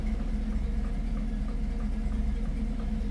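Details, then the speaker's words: 1959 Ford F100, 302ci (5.0L) V8, 650cfm carburetor, C4 transmission, idling with a deep rumble under a light regular click about two to three a second; ticking knock, cause unknown. "you hear that knocking I do have like a clicking click click click"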